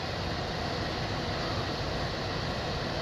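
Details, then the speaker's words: Bryant system after a bad X13 blower motor was replaced: smooth, even rush of air with no hum, rattle or pulsing, running at low speed with the access door off. Normal blower operation. "Feels like it's a rather low speed, but of course I got the door off, so it ain't gonna take much right now. You should hear it ramp up once I put this door back on."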